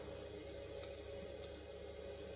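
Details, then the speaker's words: 3D printer after hot end maintenance with fan shroud removed and reassembled: soft steady low hum with faint even whir, no rattle or scrape; hot end cooling fan now much quieter than before, running normally. "and now we'll turn it on and give it a test now this fan is much quieter than it was before"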